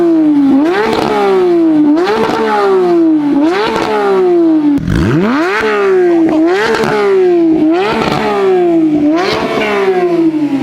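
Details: Crash-rebuilt Porsche 911 GT3 with JCR exhaust: repeated sharp blips climbing and dropping about once a second, crisp and even with no stumble or misfire; healthy engine revving freely.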